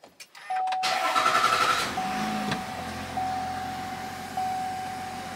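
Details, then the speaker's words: 2021 Chevrolet Silverado 1500 3.0L LM2 Duramax diesel after fuel filter change and two-minute key-on priming: brief crank, catches at once, quiet even idle with chime sounding; normal start. "all right some things to note while the engine is running right now in my case it fired right up"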